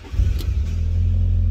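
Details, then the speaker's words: Fiat Barchetta with 97,000 km, sat in a garage for years: short crank where the starter motor catches briefly before firing into a steady idle; starter likely worn, may need refurbishment. "UE that starter motor catch a little bit then so it's probably going to want to start a motor refurbishment if we want to go that far with it"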